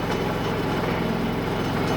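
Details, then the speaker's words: Predator 3500 inverter generator, already warm, just recoil-started with one pull: steady even hum, no surging, misfires or knocks; running normally. "Okay, so one pull, drop it, run, good to go."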